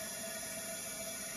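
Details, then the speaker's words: Mercruiser 5.7 V8 marine engine leak-down test, cylinder 2, engine off: 90 psi in, about 15 psi held; a steady airy hiss of air escaping through the intake with nothing at the exhaust port, a leaking intake valve. "so number two is leaking out the intake i feel nothing i feel nothing on the exhaust port so it's number two is not holding any pressure either it's holding very little and it's leaking out leaking out of the intake"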